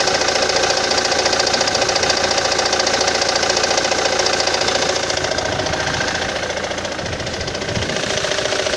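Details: Ford Mondeo 3 engine: steady, even knock about three and a half times a second over a smooth idle; source of the knock not yet identified.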